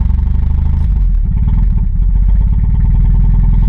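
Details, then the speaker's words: 1986 Chevrolet Chevette started, poor starting history: low heavy idle, lumpy and uneven with a hard diesel-like clatter, stumbling; runs rough. "Sounds like a diesel."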